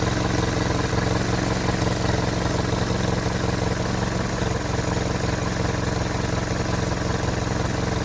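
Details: Hotchkiss M201 engine at steady low idle with an even rhythmic pulse and some mechanical clatter on top; owner asks whether the noise is normal, cause unconfirmed.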